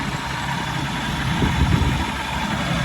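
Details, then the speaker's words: Old-style 4.3 MerCruiser boat engine at 412 hours, after a 10-inch interior water-jacket block crack that caused milky oil was repaired with JB Weld, idling before heading out on the lake: even, steady idle, soft low rumble, no knocks or misses; sounds good. "looking good. Sounds good."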